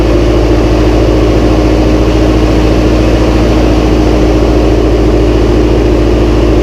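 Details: Massey Ferguson 135 tractor first start after oil change, filter and valve adjustment, high-low in neutral: steady, even low four-cylinder throb at idle, no knocks or misses; starts straight up and runs smooth, healthy.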